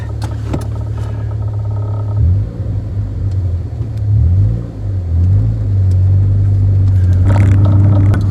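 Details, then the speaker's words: Rover 416 GTi on a test drive: uneven, stuttering pull under load with revs rising in jerks, misfire; owner suspects the distributor cap, previous owner said it bogged down under load. "Okay, so it is a bit misfiery, stuttering. That's probably due to the cap, I would suspect. The previous owner said that it would bog down under load."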